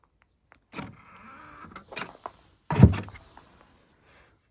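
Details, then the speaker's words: 2018 Tesla Model 3 Long Range AWD in below-freezing cold, plugging in at home charger after failed Supercharging at 13% charge: short whirring motor bursts and a thunk, no firm locking click; charge port latch not locking, owner suspects cold. "And I could hear the latch do the same thing as it did at the supercharger, trying to go, but then it didn't. So I think it has something to do with the cold."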